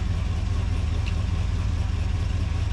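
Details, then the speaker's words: 1980 Ford Bronco running after 8 years sitting, new fuel tank, low on power steering fluid, cold weather: deep, even idle running a little fast while cold, steady with no misses, knocks or ticks; sounds healthy. "It moves. it's idling that quick, man. I mean, it's kind of cold out here."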